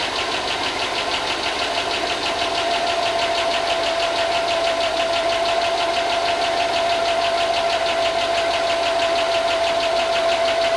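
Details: 2005 Chevy Tahoe 5.3 LS, not run in a long time, first start after fixing grounds for a no-spark issue: steady idle with light ticking about three per second; owner thinks it is just lifters, not confirmed.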